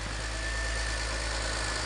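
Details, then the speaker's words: BMW X3 E83 with the M54 straight-six, started after a head gasket replacement and tightening the exhaust manifold bolts: smooth, even idle with no misses, ticks or exhaust leaks, and oil pressure present. "That's what an M54 is supposed to sound like. Yeah, that sounds great, actually."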